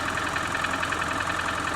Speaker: well you can hear that direct injection it almost sounds like a rattling engine doesn't it a that direct injection sounds a little